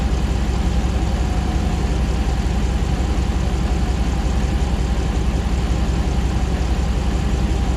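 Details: 2009 Hemi Ram 1500 TRX4 auction truck, first start after months of rebuilding: a steady, even V8 idle with a deep low rumble and no knocks or misses. The condenser fan kicks on, no new fault codes; the engine sounds healthy.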